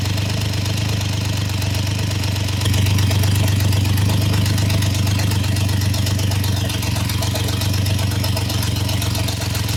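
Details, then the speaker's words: Triumph Trident T150 triple, first start, warm, choke open: steady low beat with a slightly uneven, lumpy pulse; carbs need setting and balancing, and ignition timing is still to be checked with a strobe. "So the carbs obviously need setting."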